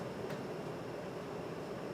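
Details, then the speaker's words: 38" Homestead Geneva Homestar ceiling fan on high speed, about 0.97 A, during airflow test: steady even airy whoosh with no ticking, rubbing or wobble; runs smoothly and moves lots of air. "Yeah. So, let's do the airflow test. It really sounds like it's flying."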